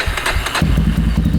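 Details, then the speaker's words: 2000 Yamaha Warrior 350 with new carburetor and ignition modules, after reconnecting the clutch-handle brake switches that killed spark: fires and settles into a quick, even single-cylinder thump; normal start. "hey better that does sound better"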